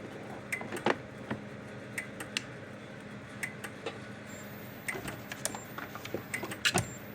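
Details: Kencove KF13000 dual-output remote-capable fence energizer under test after repair with a tester across output, reading about 12.5 kV on the tester (probably nine to ten thousand volts): faint sharp snaps about once a second with a few irregular ticks; pulsing normally.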